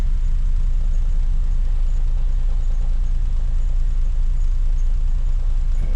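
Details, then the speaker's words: 2006 Lexus GS430 V8 warming up after accident repair, idling on its own power but slightly shaky and hunting a little high; owner wonders if a motor mount was disturbed, idle oddity possibly from mass airflow sensor not connected right. "it's warming up a little bit it's a little shaky i wonder if that motor mount didn't get messed with and it is hiding a little high"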